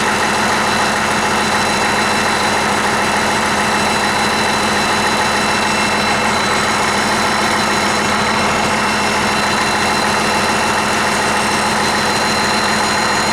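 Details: 1959 Caterpillar D337F diesel genset, stored in a barn 10 to 12 years, just started and resting at idle (needs the shutdown lever to stop). Deep, steady drone with an even beat, no misses, knocks or surging: normal idle.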